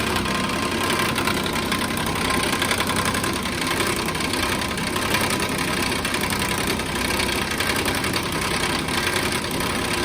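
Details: 2014 Nissan Pathfinder at idle: loose irregular clanking and rattling about three to four times a second over steady idle; broken radiator cooling fan clanking.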